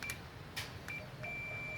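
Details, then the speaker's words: ZK Ford Fairlane repowered with a V8/C4, neutral start switch on the shifter tested with a meter on continuity: short chirps, then a steady high beep holds as the lever reaches Park, so the switch closes properly there. "this one yeah that's continuity this goes here and we just listen for"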